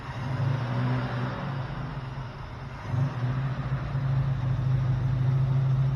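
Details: 1972 Plymouth Roadrunner 383 Magnum, first start after sitting 15+ months, new distributor, vacuum advance disconnected, stock/RV-grind cam: held at steady fast idle with deep even drone and mild lope; normal high idle during cam break-in.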